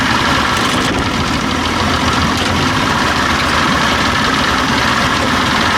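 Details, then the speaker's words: Old outboard with a stalling and bogging problem, just after the ignition timing was quickly checked and adjusted about a quarter turn. A loud, busy two-stroke idle holds even and steady with no stumbling or surging; the owner says it sounds much prettier. "okay I can see it now it's way before the floor driver like a little quarter turn see what a difference it has much prettier"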